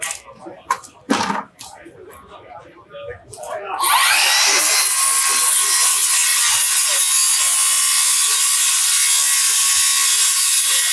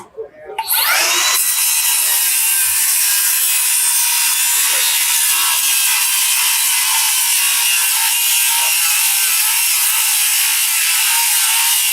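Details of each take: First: Circular saw with a plain uncoated silver blade in a tough demolition cut: loud, harsh, strained cutting roar with sparking and burning as the overloaded blade bogs down. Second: Diablo 7-1/4 in 24-tooth framing blade on a cordless circular saw cutting through flashing, shingles and lag bolts; spins up, then one even high-pitched cutting roar for over ten seconds without bogging. Blade stays cool, clean smooth cut.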